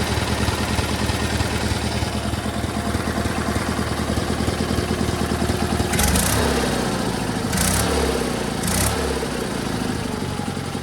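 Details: GT/18 small twin after new ignition system (non-original coil), no choke, low idle, charging working; steady even popping beat with brief throttle blips. Runs better than before, carburetor tune still needed. Normal idle.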